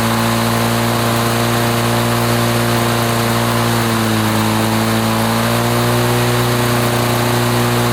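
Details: 1980s Lawn-Boy two-stroke mower that wouldn't run after running out of fuel, test-run after service, pull-started: steady, even two-stroke buzz at a constant fast speed, no misses, surging or knocks; measured 3480 rpm, fine.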